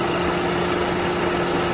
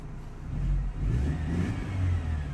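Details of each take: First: Mercedes C180 Kompressor petrol, idling with P0102 airflow meter fault codes: steady airy hiss of a vacuum leak near the engine. The airflow meter itself was fine; electrical cleaner spray used to locate the leak. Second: 2003 Mercedes C180 Kompressor, 1.8 petrol, with code P0102 air flow meter faults, started after a rubber hose was replaced: deep, steady engine note with smooth light revs and no stumble or hiss. It runs normally after the repair.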